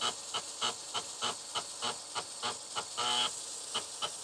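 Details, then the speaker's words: TRS-80 Color Computer 1 floppy drive, stepper motor freshly lubricated, ImageDisk clean-head routine: quick even chirping clicks, about a hundred per minute, as the head seeks back and forth; stepping cleanly, sounds healthy. "i like to use imd for cleaning the drive because actually has a clean head option here which just seeks the head back and forth this kind of exercises the stepper motor as well which i lubricated sounds like it's working well though"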